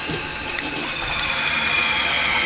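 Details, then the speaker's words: Rental toilet after the kinked part was removed and a new blue flapper was fitted. Strong steady hiss of water refilling the tank with no gurgle or stutter: normal flush and refill. "We got a new flapper. It should flush and fill good, which it's doing. It's flushing."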